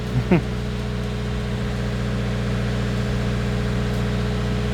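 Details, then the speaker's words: 2020 Subaru WRX idling on first start after installing AEM fuel pump (AEM/DeatschWerks kit), pump heard kicking on, no leaks: smooth, steady engine hum without hesitation, surging or stumble; normal idle. "looks like we're working just fine no leaks I can definitely hear that bad boy come"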